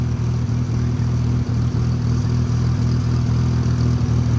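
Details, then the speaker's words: Mazda FC RX-7 rotary on a drive after PBM super angle knuckle install: loud, deep idle with raspy, uneven puffing about four times a second from a massive exhaust leak. "Got a massive exhaust leak, you could literally hear it. Got to get that fixed."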